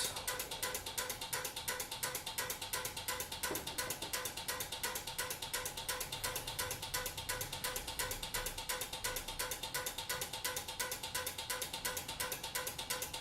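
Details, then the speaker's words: Relays switching 120 V incandescent party bulbs via a converted 12 V LED-strip receiver: crisp even clicks about three per second, no chatter; normal relay clicking. "Now that clicking's relays, so you can hear the relays click."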